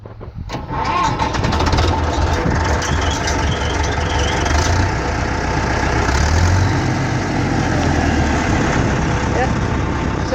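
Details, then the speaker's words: Tractor diesel, cylinder liners once replaced after overheating from a broken fan belt, starting: catches within half a second, then steady even run with no knocks or misses; normal start and idle. "I'll fire it up here. Sounds really good, too."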